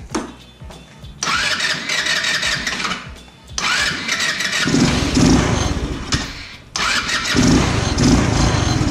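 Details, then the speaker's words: 150cc GY6 scooter that starts but won't idle even after adjusting the idle screw; swapping the CDI didn't help. Repeated starts, uneven lumpy running that sags and won't settle. Owner suspects the carburetor, or valves out of spec since it starts rough when cold. "um or a rough start before it's warmed up is indicative of valves that are out of spec"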